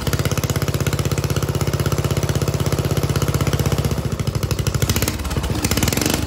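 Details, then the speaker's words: Lawn mower engine with governor, newly welded exhaust flange with small pinholes, run before turbo fitting: loud, choppy bark of quick, fairly even pulses at steady speed. Open exhaust, no muffler. "now I just want to fire it up to get all the stuff out of that exhaust pipe that I can't reach in like that with my hand and we can see what it sounds like before Turbo"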